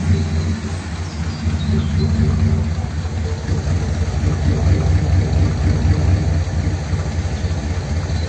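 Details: 1957 Ford Thunderbird with the original carb parts refitted after flooding problems, plugs likely fouled: lumpy, uneven idle with the rhythm stumbling and skipping beats, a cylinder missing at idle; cause suspected, not confirmed.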